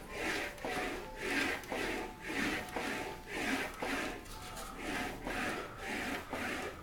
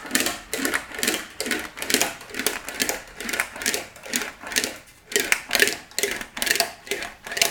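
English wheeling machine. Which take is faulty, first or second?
second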